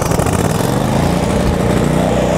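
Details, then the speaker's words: A Miller Trailblazer welder-generator engine, started with choke under no load. It goes to high RPM, then returns to its 2400 RPM idle: a loud, steady drone with no surging, knocking or misfire, running normally. "the choke in engine goes to high RPM doesn't sense any load comes back down to idle which is 2400 RPM"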